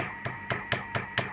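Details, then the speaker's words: Belcom LS-102L 10m radio on 28.490 MHz sideband into a dummy load, partly repaired: sharp irregular crackles and pops about every quarter second over a steady tone; the VCO is very microphonic, possibly a missing earth, unconfirmed. "okay and that crackling sound that is uh signs of things to still still do we're not there yet"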